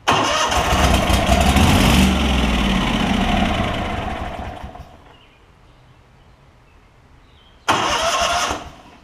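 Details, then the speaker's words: Lincoln Ranger 8 welder generator, Kohler CH20 V-twin, rusted debris in fuel system: starter turns over evenly about four times a second but never fires; no fuel priming from the tank, failed fuel pump. "I do want to see if the fuel line is priming see if I can take it off here it's a bunch of junk going everywhere so we're not getting any fuel up here yet so it's not priming up through the gas tank"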